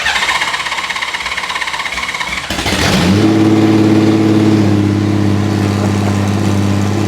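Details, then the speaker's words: Derelict Honda Gold Wing on its first start after cam belt installation, running on freshly painted open header pipes with the tipover sensor secured upright. Cranks about 2.5 seconds, catches, revs briefly, then settles into a smooth, even idle. Cam belts are correct and there are no leaks. "So, we know it starts. That means the cam belts were installed correctly."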